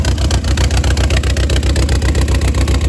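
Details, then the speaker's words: 400,000-mile VW Passat B5 1.8T with cleaned injectors, new O-rings and a timing set under 100 miles old: heavy, lumpy misfiring idle, worse with most vacuum lines disconnected; owner thinks it's down a cylinder. "It's running even worse right now because almost every vacuum light is disconnected, but"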